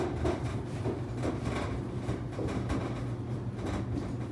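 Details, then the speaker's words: 15-year-old Kenmore 600 series dryer after moisture sensor replacement, set to 70 degrees, empty: even low rumble of the drum turning with soft irregular thumps about once a second; running normally. "There's nothing in there right now, so it's just the drum turning around."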